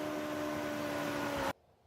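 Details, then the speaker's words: TesStudio voice-controlled power retractable roof sunshade in a Tesla Model Y, run from the back-seat controls after installation: a soft, even electric hum at one steady pitch for about 1.5 seconds, stopping cleanly; normal, quiet motor run. "Pretty quiet motor overall. I'll leave this part in so you can hear how it sounds."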